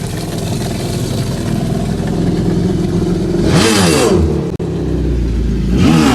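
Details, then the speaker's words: 2011 Yamaha VXR jet ski, out of the water, stock exhaust: steady loud drone then two quick sharp blips, pitch swooping up and down; engine revs freely with no leak. "It was leaking, but I just fixed it and let you hear it now. Stock VXR."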